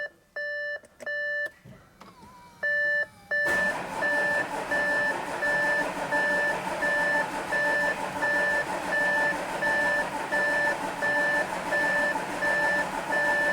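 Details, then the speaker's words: Audi A7 3.0 TDI, newly fitted brand-new engine, first start attempt after cycling ignition for fuel pressure: long steady cranking with repeating warning chime, not catching; owner suspects it needs more fuel or a battery charge; it then starts. "come on might need more might need more fuel such an annoying noise might need to put a battery charge on it"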